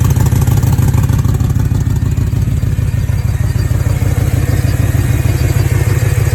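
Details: BMW E9x M3 S65 V8 in limp mode with misfires on cylinders 5–8: loud uneven, Subaru-like burbling idle with sharp chuffing pulses; cause was a missing header-to-midpipe exhaust gasket.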